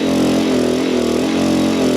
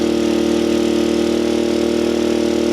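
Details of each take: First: Small gas generator rated 800 running watts, pushed to 800 watts charging an Anker Solix F3800 Plus via 120 V adapter: a strained, hard-working drone with a heavy, slightly wavering hum, labouring at its limit before the generator shows overload. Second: Small gas generator rated 800 running watts, charging an Anker Solix F3800 Plus through the generator input at 500 watts: a steady, even engine drone held at raised speed with no hunting, knocking or surging; carrying the load comfortably.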